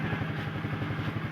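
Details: Carbureted Honda Vario scooter after the fuse holder was cleaned and tightened, charging now normal: steady, even low thumping at about seven beats a second with no misses or rattles; smooth idle.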